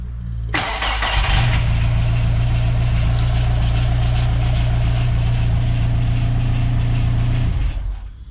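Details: VW Mk2 Golf with hot-start issue, after fitting a Mk4 starter: short crank, then fires cleanly and holds a steady, even run for several seconds before shutting off; starter and engine sound healthy.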